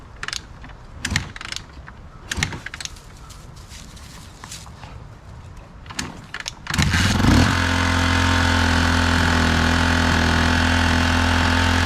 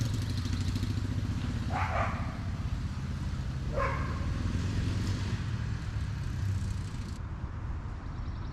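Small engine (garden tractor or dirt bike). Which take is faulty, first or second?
first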